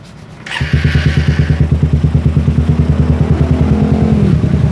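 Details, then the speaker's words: Suzuki Satria FU motorcycle after removing the exhaust camshaft decompressor: engine catches quickly on the electric starter and idles evenly, with the former tek-tek ticking gone. "Karena dekompresi sekarang nggak ada suara tek tek tek alias langsung Jadi pas disela langsung nyala itu"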